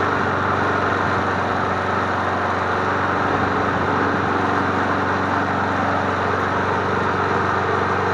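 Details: MTD Bolens push mower 11A-414A065, revived and cleaned, started after priming three times to warm up before an oil change: steady, even engine drone, no misses, surges or knocks; running smoothly and healthy.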